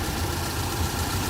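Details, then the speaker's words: Proton Waja MMC automatic at idle before idle setting, after replacing a wrong-model copy stepper motor with a genuine Evo 9 stepper motor (power steering pressure switch stuck on, disconnected); steady, even low idle with no misses or hunting, normal idle. "Okey dengar pun sudah okey dah sebab step motor pun isu dulu tak ngam punya model."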